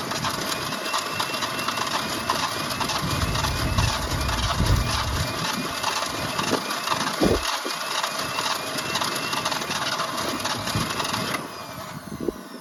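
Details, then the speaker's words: 1965 Ford Falcon six-cylinder parked since mid-1990s, points sanded, hot-wired, fuel poured into carburetor: catches and runs a few seconds with an uneven, stumbling beat on primed fuel only; fuel pump untested. "it that thing will start thing will start I got it to start"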